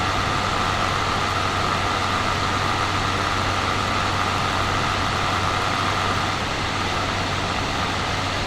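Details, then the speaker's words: Steam Deck cooling fan at about 5200 RPM, microphone set down near the unit: loud steady whir with buzzy rattling tone that started within first ownership; fan faulty. "I have sat here and waited for the fan to get up to about 5200 RPM that's where mine starts making the pretty obsessive rattling noise"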